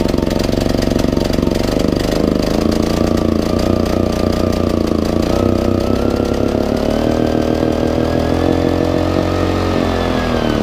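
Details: Baliy 3700 W portable generator unused over a year, carburetor buildup: small engine running but pitch drifts and sags, speed hunting and hesitating to rev; fuel starvation from clogged carburetor jet.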